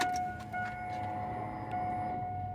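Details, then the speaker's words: Chevrolet Silverado with a no-start, no spark and no injector pulse despite a new CKP sensor: faint electric hum of the fuel pump priming at key-on, no cranking; a heard pump does not guarantee it works. "no escucharon para mí se escucha la bomba bueno que se escuche no es garantía de que funciona verdad"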